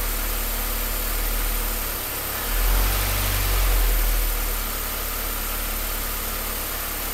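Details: Low, uneven idle with a lumpy, wavering pulse and a brief dip and surge in the middle; rough idle.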